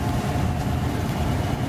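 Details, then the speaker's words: Home central heat/AC blower motor that hummed and buzzed while stuck, after oiling and lubricating: steady low hum with an even airy rush, no stalled buzz or bearing noise; normal blower motor run. "turning the switch on in hairy palms it's running"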